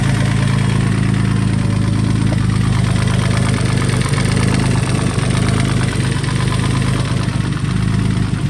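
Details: Freshly installed built engine, first run after install: loud steady idle with an irregular deeper knock under the exhaust drone; cause not confirmed.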